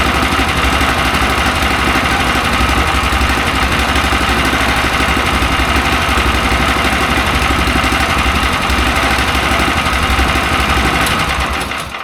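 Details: Mech Maxx SM-22 sawmill's small single-cylinder engine on its first start, after firing on the first pull. Holds a steady, even beat throughout with no misses or knocks; running normally.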